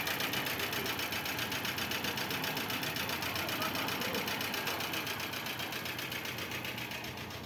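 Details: 2005 Chevrolet Corsa with the oil warning light on, maintenance neglected: fast, even metallic knocking about four a second over the petrol engine at idle; heavy internal engine knock, cause not pinned down.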